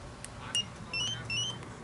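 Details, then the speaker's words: Spy 5000 alarm installed on a 2012 Can-Am Spyder RT Limited. A few short, sharp high-pitched chirps from pressing lock twice to turn the alarm off; normal disarm chirp. "now if you press the lock button twice you hit chirp you press the second time that turns to alarm off so that it won't wake up your neighbours in the event if it's uh bumped but it will send a signal to your key fob okay disarm it"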